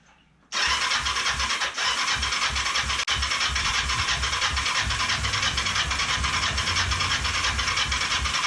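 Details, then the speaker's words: Ninja 500 with spark and compression, choke on: starter spins steadily with even compression pulses for eight seconds, never fires; crank no start, fuel tank apparently not delivering fuel, nothing coming out with valve fully open. "It's not making any attempt to start. I really don't think that this fuel tank is giving it any fuel."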